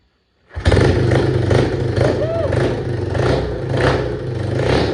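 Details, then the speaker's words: Yamaha AG200 single after rebuild, with a new CDI fixing an intermittent spark, not yet tuned: fires at once and settles into a steady even thump with slight rise and fall; normal running. "I'm so stoked to get that running I'm going to sit here and Fiddle around with it for a little while hopefully get it tuned"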